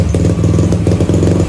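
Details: Supra X Daytona single with a new Yuasa battery after sitting long with stale fuel and a dead battery; carburetor found clean. Steady, even low thumping idle with a slight rise and fall and no knocks or misses; idling cleanly.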